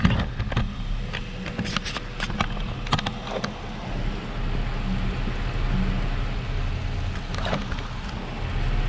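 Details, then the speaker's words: 2006 Chrysler 300 idling after Blue Devil head gasket sealer and coolant flush, temperature just under half: irregular bubbling and popping as coolant gurgles back up; air being bled, gas in coolant suspected. "can hear us gurgling pretty crazy back up"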